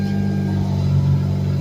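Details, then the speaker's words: Hyundai Elantra with engine running, after replacing the flexible steering coupler (Dorman) that caused steering-wheel clicking: only a steady low engine hum, no clicks or knocks from the column. Steering smooth and tight. "Nice and smooth. Alright. Yeah. No more clicking. Everything's awesome. Nice and tight."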